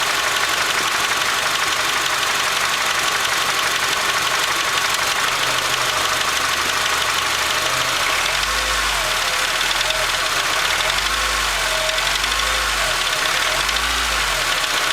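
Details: Acura RSX petrol engine revved from about 1000–1500 rpm: distinct clanking knock under a loud hiss; owner suspects rod bearing, not confirmed.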